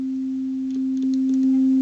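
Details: Boomshaker Bluetooth speaker after repair, rotary control refitted, signal generator tone over Bluetooth: clean steady mid-pitch tone rising in even steps as knob turns, no crackle or dropouts; volume control works.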